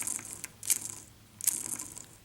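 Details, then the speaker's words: Ford 9N/2N tractor transmission bearing spun by hand, out of the tractor: gritty, uneven rasp and rattle, and the bearing visibly wobbles; worn, rough bearing confirmed as the source of the growling noise. "remember that growling sound I was telling you about well I found it right away and here it is I don't know if you can hear this on camera but you can even see it it wobbles and it's really rough"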